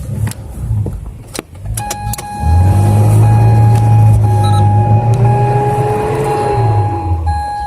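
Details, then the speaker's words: Mazda Isamu 323 Genki 1.6 stranded at gas station: key turn gives sharp starter relay clicks behind glovebox but no starter whir and no dash-light dimming; starter motor gets no power, suspected relay or starter solenoid fault. "你会听到它会掉，但是就是车子启动马达都没有电。"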